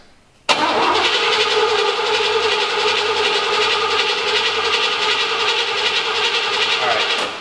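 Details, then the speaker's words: 1986 Oldsmobile Cutlass saved from scrapyard, cranked before first start attempt: steady even starter whir about seven seconds, engine spinning freely with no catches or knocks; cranks healthy. "wow it sounds pretty good sounds all right"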